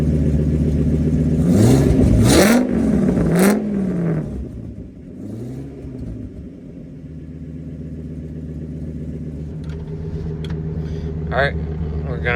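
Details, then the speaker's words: 2000 Ford F350 dually V10 after an exhaust fix with a new tailpipe U-bend and tip, heard from inside the cab through a few revs. Deep, even rumble with no rasp or ticking; normal exhaust note. "Sounds good. Sounds better. Now, rev it up a few times."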